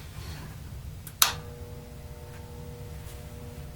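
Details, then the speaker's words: Tektronix 574 oscilloscope cooling fan at power-on: a switch click, then a faint steady 60 Hz mains buzz with no rising whir. The fan turns only about half an RPM on dry, seized bearings and needs lubrication. "I think it was pretty clear that that thing was rotating at about half an RPM and emitting a bit of a 60 hertz buzz, but because of ambient noise in the store, I probably couldn't hear it."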